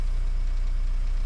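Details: 2010 Renault Mégane 1.9 dCi diesel, restarted after a P0090 crank-no-start was fixed by repairing a bad fuel flow solenoid valve wire; the solenoid draws up to about one amp on start. Low, steady idle with an even beat and no knocks or misses; healthy.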